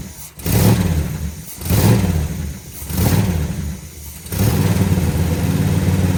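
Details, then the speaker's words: 1963 Chrysler 300J 413 RB V8 with cross ram twin carbs on a revival start, flooded: lumpy uneven idle surging and sagging about once a second with coughing stumbles, smoky, no working accelerator pumps; rough rich running. "Well, it runs kind of. All right. So, it's a little smoky and stinky."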